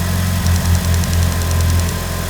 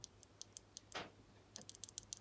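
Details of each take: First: Mitsubishi Evo (restored 2019, little driven) after bench-cleaning and freeing a stuck number 3 injector: steady, even idle with smooth low rumble and a quick rev blip; now starts better and idles smoothly despite old fuel; normal idle. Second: Mitsubishi Evo fuel injector (suspected cause of hard starting and rough idle) pulsed on the bench with a new battery after a 7 V battery: faint irregular ticks, then quicker light clicks as injector cleaner fluid unsticks it and it fully opens; sticking fuel injector.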